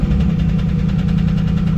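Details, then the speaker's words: Car with 93,000 original miles, started on a jump box with no battery: deep, lumpy idle with uneven low thumps that never smooth out; engine running unhealthily with zero oil pressure. "It ain't healthy, but it started."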